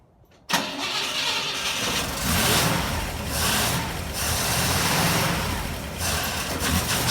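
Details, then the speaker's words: 1960 Pontiac Ventura with rebuilt Tri-Power carburetors, fuel leak found: long, steady cranking with rhythmic surge and no firing while a little fuel is poured in so the pump bleeds air from the line; cranks but no start. "I'm going to pour just a teeny bit of fuel in until the pump bleeds all the air out of the line"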